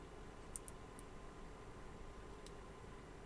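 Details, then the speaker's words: Digital Designs M5 class D car amplifier powered on briefly on a weak bench supply during repair: a few sharp clicks in short bursts over low background hum, sub slightly humming; normal power-on clicks, amp appears OK. "Bon, OK, on entendu les claquements et j'entends un peu le sub ronré légèrement. Bon, je vais éteindre. Ça a l'air d'aller."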